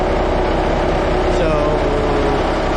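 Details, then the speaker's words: 5-ton 6x6 army dump truck converted from 24 V to 12 V, started right after fitting new batteries to replace 8-year-old ones, cranked hard, 14.1 V measured; deep, steady diesel rumble at even idle with no misses or knocks; normal idle. "There you have it. Hopefully you could hear it. It cranked really hard."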